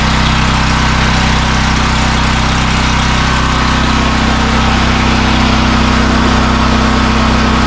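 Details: AGT 12kW (9kW continuous) generator, new, first startup after assembly with fresh oil and fuel: steady, even drone at constant speed with no knocks, hunting or rattles, normal running.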